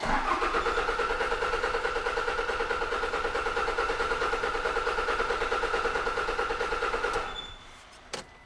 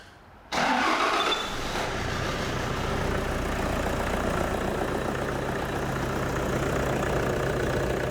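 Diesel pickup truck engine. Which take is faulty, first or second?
first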